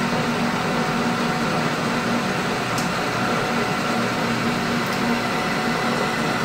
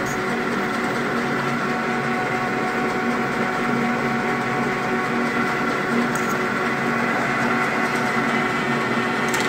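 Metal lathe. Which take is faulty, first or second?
second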